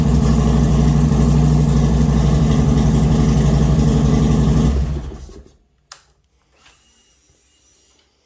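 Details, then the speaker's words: 2008 Harley-Davidson Road King, 44,000 miles, mic close to the valves: an even light ticking about four per second over the lumpy V-twin idle until shutdown. Owner suspects an excessively noisy valve train; not confirmed. "If you think it's noisier than it should be, which I think it is, this is my second. The other Road King I had was an 06, and the valve train was a little noisy on it also. But this sounds a bit excessive to me."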